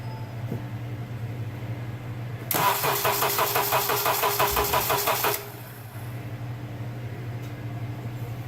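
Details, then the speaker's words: 2005 Honda Accord 2.4L four-cylinder, hard-start complaint, new 530 CCA battery at 12.5 V: about three seconds of strained, laboured cranking pulsing roughly three times a second, a tired failing starter motor, before swapping the starter and re-measuring cranking amps. "I am going to swap the starter out and measure cranking amps again."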